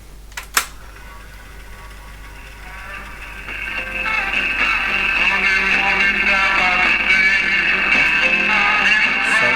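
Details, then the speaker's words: Vintage RCA Victor CP-1 cassette player-recorder at full volume; music comes out harsh, gritty, clipped and thin on bass, and tone control has little effect; the audio output valve has very low emission and is distorting and clipping badly. "now I know this is the outputs valve if you recall as the audio output valve was a very low emission and it's clear that it is distorting and clipping very badly"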